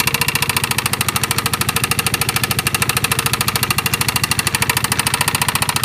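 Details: Piaggio MP3 / Vespa GTS 250 at idle: sharp, even ticking knock at about 200 a minute over a steady idle; engine knock, cause not yet pinned down.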